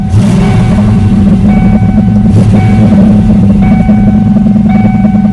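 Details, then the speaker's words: 1993 Ford Mustang GT 5-speed manual V8 with a smoking problem and suspected head gaskets, after injector work: a deep, even rumble that runs smooth at idle with a little throttle, with no misses, though the shifter shakes slightly. "So, but idling and driving it does. It runs very smooth. God, it's running smooth right now."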